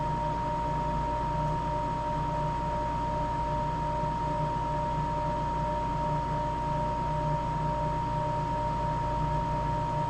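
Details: Napoleon NPS40 pellet stove starting up after replacing the ignitor and ignition snap disk; the ignitor glows and the repair works. Steady, even fan hum with a clear constant tone, no rattles or scraping; normal startup while waiting for the snap disc to click.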